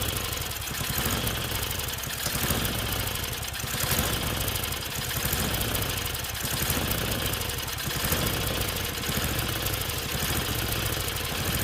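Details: Tecumseh snowblower engine after a carb clean and reconnecting the governor, near full choke: speed rises and falls every couple of seconds, a hunting surge; carburetor suspected, new one to be ordered.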